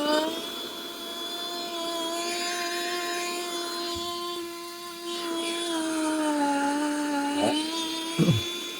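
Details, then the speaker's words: Nut milk maker that would not power on; drawing about 600 W, run on the smoothie setting. Steady high motor whine holding an even pitch, sagging only slightly under load: the motor spins smoothly, normal. "chọn sinh tố này để vài giây này đấy Các bạn nhìn nghe tiếng mơ quay"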